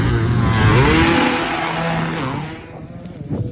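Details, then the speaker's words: Two-stroke dirt bike at a sand pit on another jump attempt with throttle stuck: screams up and holds flat-out with no drop in revs, then fades as it moves off; throttle stuck wide open. "So, I went for another one and throttle stuck, man. I'll insert the clip right here."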